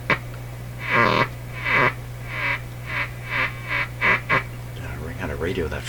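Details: 1941 Canadian Electrohome Serenader 9A62-S two-band radio with Magic Eye, first power-up after inspection: over a steady low hum, raspy quack-like bursts come and go irregularly. Owner suspects an oscillation, maybe a dirty or bad capacitor; intermittent fault.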